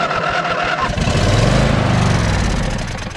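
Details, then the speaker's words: John Deere L120 lawn tractor, long-sitting with mouse nest under air filter cover, fresh gas added and carb cleaner sprayed in intake: quick crank, twin catches into lumpy pulsing low rumble on the cleaner. "and uh just going to take some uh hard PL CLE here and spray that in"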